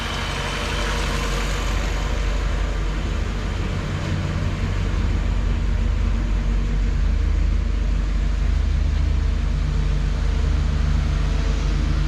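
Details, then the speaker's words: 1959 Chevrolet Bel Air V8 at idle during fall maintenance, just after an oil and filter change and greasing; steady, even low burble with no knocks, misses or ticks after a brief belt noise went away; normal, healthy idle. "yeah it sounds good handle up there taking it just can't blow out a little bit but it kind of went away"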